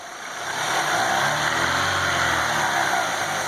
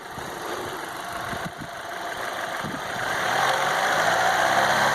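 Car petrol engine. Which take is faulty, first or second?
first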